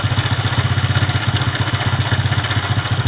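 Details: Honda CD70-type 2012 Hero motorcycle engine idling: quick, even thump with a dry metallic clatter on top; timing chain rattle, fixed by replacing the timing chain and seals.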